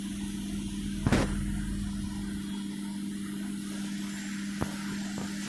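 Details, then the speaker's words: LG MC-7688DP microwave oven fan motor after greasing bushings and rewiring, originally noisy; even low hum at one steady pitch, a couple of faint clicks, no rattle or grinding; runs quiet and healthy. "देखा आपने अभी इसका साफ हो गया, आवाज़ बंद हो चुका है।"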